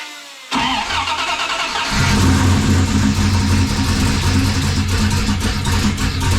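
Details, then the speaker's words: 1995 5.9L Magnum V8 in a 1951 Dodge one-ton, new Comp Cams camshaft and 60lb injectors: lumpy, uneven idle with irregular stumble; misfire, two passenger-side cylinders not firing, plug wires cooked by heat. "all right that's what there's two cylinders over there that seem like they're not firing"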